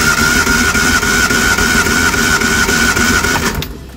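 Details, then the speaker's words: Reliant Supervan, compression test on cylinder 4 after adding oil, with no plugs or HT leads fitted. Even starter cranking at about 3.5 beats per second with a steady whistle. Compression is healthy at about 130 psi. "that's pretty healthy. That's about 130 psi. So that's good."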